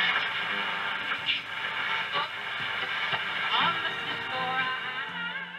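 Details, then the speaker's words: Kriesler Newscaster Model 11-99 valve radio (1965–1975) playing a station: clean, steady voices and music with no crackle, buzz or distortion; the set works properly. "خیلی خوب در حداقل قسمت ها خیلی خوب است، بنابراین حتی به نظر نمی رسد که اعوجاج داشته باشد"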